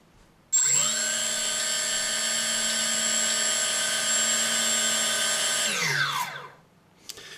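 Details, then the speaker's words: APM2.5 board on 3D Robotics quadcopter, firmware 2.9.1 (same with 2.8.1), ESCs calibrated: barely moving throttle stick above minimum (985) makes all four motors snap instantly to steady high whine, no progressive throttle; suspected board, software or configuration issue. "you see that just with a minimum throttle it jumps immediately from the new value 985 to very high speed engines we can hear it"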